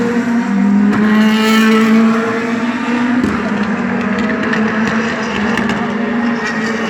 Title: DTM 2017 V8 Misfireing